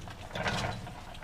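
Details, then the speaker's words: Trailblazer SS front-end rebuild, control arm removed: hand-working the lower ball joint gives a dry grinding crunch with clicks; joint is totally shot and the bushing is crumbling. "This lower ball joint's totally shot."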